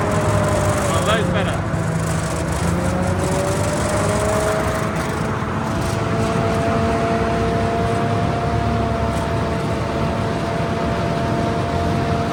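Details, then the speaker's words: M5 high-speed gun tractor on a road test after its gearbox was refitted. Deep drone under road and track noise, with the engine note stepping down cleanly at each shift and no flare or clunk; the gearbox now changes gear nicely. "out on the open roads with her and we can safely say is a serious improvement with the gearbox. It actually changes gear really nicely now."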